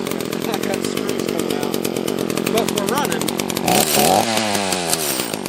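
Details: Echo CS-330T top-handle chainsaw with carb set a half-turn out on both screws: revs surge and sag unevenly, a lean fuel-starved stumble; possibly running out of gas.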